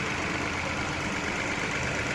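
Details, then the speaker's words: 2018 Ford EcoSport 1.5 three-cylinder Dragon engine, first start after correcting a wrong oil change that caused a top-end noise: steady, even idle hum with no knocks or ticks; problem resolved, normal idle. "redondinho Problema resolvido"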